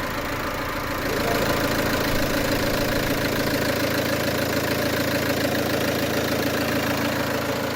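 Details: Peugeot 307 2.0 HDI diesel, fault codes P1112 and P0204 (TDC/crank sensor suspected), after restart with no leaks and 540 added; steady even idle with regular low clatter, no misfire or stumble; normal diesel idle, runs better.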